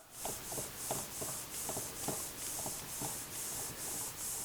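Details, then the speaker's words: Old loose hub wheel bearing from a daily-driver car turned by hand: scratchy rubbing with faint gritty clicks inside, the cause of a low whomping hum in the cabin that rises with speed; the bearing is still fairly tight and is being replaced. "just that little bit of clicking inside is what is causing that that worrying or Whomping sound in the cabin so that's the problem we're experiencing with the old bearing"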